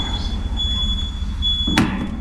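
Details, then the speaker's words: Brand-new replacement HVAC package unit at startup: low rumble under a steady high-pitched whine with a single sharp clunk as the condenser fan spins up; noisy startup, cause undetermined. "Guys, this brand new equipment that can't even come on without making a sound. These things should start up nice and quiet."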